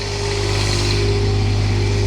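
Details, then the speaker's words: Quiet diesel generator in an old RV, past its warm-up phase and quieter than before: a steady, smooth low hum with constant pitch and no knocks or surges. Normal idle. "Actually, that was the uh that was the warm-up phase for the generator, and it's actually quietened down now. It's now that it's past the warm-up phase, and I just kind of wanted you to hear how much quieter it was even now."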